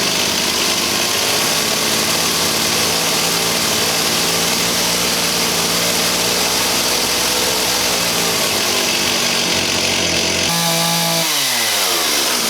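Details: 1985 Stihl 028 AV Super chainsaw after setting carburetor screws (low speed corrected from half a turn to 1¼ turns out, high speed 1¼) and raising idle slightly: light two-stroke buzz holds an even, steady note and drops away cleanly.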